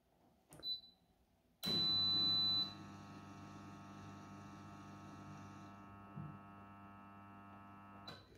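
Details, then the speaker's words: Tumble dryer whose drum won't turn on start: the motor only hums from the lower area, with the water pump briefly running, a sign of a defective start capacitor. "Es tut sich nichts wie gewohnt, normalerweise ist es laut und brrr. Hier in diesem Fall brummt es einfach nur, das kommt aus dem Bereich hier unten."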